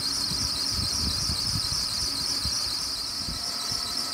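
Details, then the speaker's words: BMW 728i E38 with a constant high-pitched squeal over the engine rumble. Several workshops, including BMW, attributed it to the serpentine belt, with belt, tensioner and idler pulley to be replaced. "Also, ihr hört das bestimmt schon, der quietscht. Und woran liegt das? Ich war bei 3-4 Werkstätten gewesen und auch bei BMW. Und die haben mir gesagt, dass es wohl am Keilriemen liegt."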